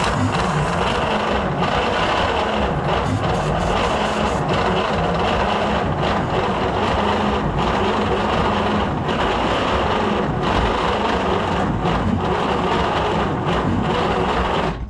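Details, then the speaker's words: 1938 Dodge D8 sedan engine, unstarted for roughly 30–40 years, cranked with starter fluid and a battery charger boost. Long cranking with occasional irregular pops; only one cylinder is firing and it never starts. "I can hear one cylinder definitely popping."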